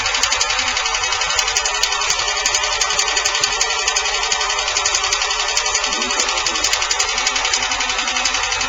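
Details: Fast, even light tapping, roughly four ticks a second, over the engine's running note; valve train ticking.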